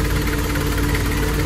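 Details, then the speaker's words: Nissan Caravan/Urvan after clutch disc, release bearing and pilot bushing replacement: steady even idle with no bellhousing rattle or chatter; previous noise came from clutch disc springs. Normal idle. "Tahimik na. So, narinig mo na lang yung onda na makina."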